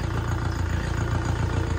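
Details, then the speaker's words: Diesel engine recovered from hydrolock after flood water was cleared, idling on a lift before an oil change: even diesel clatter at a steady low idle, no misses or knocking; normal idle, engine okay. "अभी तो भाई finally गाड़ी बिल्कुल okay engine में कोई problem नहीं है"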